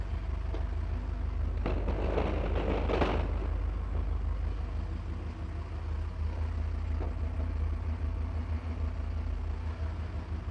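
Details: 1985 Porsche 928 engine: low, even idle rumble that holds steady with no knocks, misses or hunting after a brief noisy moment early on; healthy idle.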